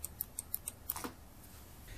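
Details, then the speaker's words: Jackrabbit Devices trigger on a 2-stroke dirt bike: extra pull past the stop trips the spark safety cutout. It gives faint, evenly spaced mouse-like clicks, engaging normally. "apply a little more force a little more pulling force with your finger and you should hear what sounds like a computer mouse click coming from the trigger it's a subtle sound but if you listen carefully you should be able to hear"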